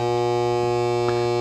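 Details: LM1875 IC amplifier run with no or little power-supply filter capacitance (10 µF added, later 33 µF): loud, steady low buzz with a stack of overtones, unchanging. Mains hum from insufficient supply filtering.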